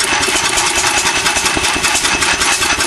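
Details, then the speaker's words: Old Bessemer single-cylinder stationary engine on its first official run with a muffler runs rough, with uneven chuffing about 2.5 beats a second. Owner suspects a crankcase gasket air leak combined with late ignition timing, and plans to advance the timing. "I think I might have a a gasket leaking on the crank case might be sucking a little bit of air somewhere could be that in a combination of late timing"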